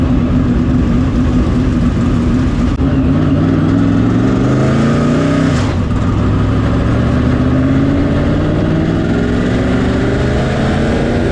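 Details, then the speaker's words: Dirt track race car after trying a 615 change: engine revs up and sags unevenly, pitch wandering instead of climbing cleanly, runs rough and won't pull; owner possibly found culprit, a carburetor stud whose nut couldn't pull the carburetor down fully. "As you can hear, that didn't do anything to help. That's awesome. We've got an issue that I don't know how to fix."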